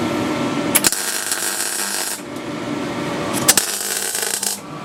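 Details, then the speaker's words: MIG welding on a Land Rover's rusted rear chassis crossmember for an MOT repair: a frying crackle in two-second bursts with short gaps as the arc stops and restarts, with the welder at minimum setting to fill a roughly 1 mm gap between panels. "some of the bits there where there was a gap that needed filling i had to put it down to the minimum setting on this welder and then you could hear me again and then stopping and stopping"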